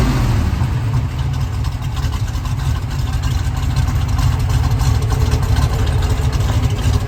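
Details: 1971 Chevrolet Camaro RS Z/28, 350 V8, 4-speed, frame-off restored; deep, lumpy burble at a fast, even pulse with small throttle blips, no ticks or knocks, healthy idle.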